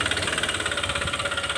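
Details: Honda Click 125 scooter at 160,000 on the odometer, before repair, revved with covers removed; rapid, even metallic knocking about fourteen per second over a light idle, tracking engine rotation: worn connecting rod, fixed by replacing the crankshaft and rod assembly.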